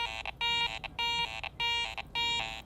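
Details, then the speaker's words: Garrett ACE 400 metal detector with iron audio on, coil sweeping a target: four clear high tones each flanked by short low iron grunts, showing the target is not pure coin but contains iron. "tells me this is not a pure coin target that I'm digging for this item contains some iron mixed in with it"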